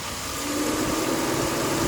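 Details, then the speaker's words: 4.8 V8 truck at Copart, idling; smooth, steady idle with even low murmur and faint fan whir as fans kick on, no knocks or misses, engine purrs healthy. "Listen to that engine. Listen to that thing purr."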